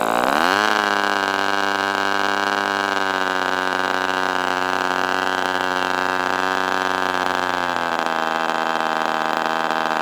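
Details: Northfield Ross Black Demon 61 model engine with Perry carburetor, first run: high buzzing tone climbs, holds, then sags at about eight seconds; idle won't hold, staying around 4,000 rpm then dropping and dying, from a binding carb barrel.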